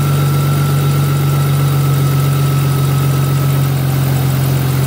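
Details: 2000 Audi S4 B5, idling while the belt is checked for walking; battery light has gone off. Steady low idle with an even drone and no squeal, chirp or belt slap. The belt is not walking so far.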